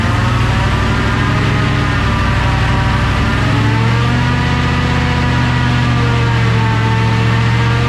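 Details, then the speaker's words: 1969 Ford F-100 460 V8 on jack stands, after moving clutch fork spring: loud run with steady high whine and coarse grind beneath; owner suspects drivetrain/transmission, unconfirmed. "I mean, it grinds something drivetrain related. That's what we got to figure out."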